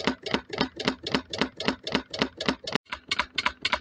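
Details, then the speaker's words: Wood-fired rocket-stove DIY Stirling engine generator Mk4, running very slowly as the fire runs out: heavy rhythmic clonk, nearly four a second, keeping time with the engine stroke; caused by a bolt left loose. "there's a loud clonking noise coming from um from this side I'm coming to find out I left the bolt loose so that's what that noise was"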